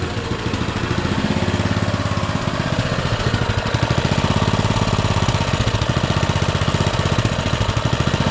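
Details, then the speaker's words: Baja Motorsports Baja Warrior mini bike, 196 cc single-cylinder, auction find: putters at a fast choked idle with a steady, slightly uneven beat and won't idle off choke; carburetor idle circuit faulty, carburetor later replaced. "I mess with this a few times off camera trying to get it to idle better uh and I just can't get it to idle off of Choke"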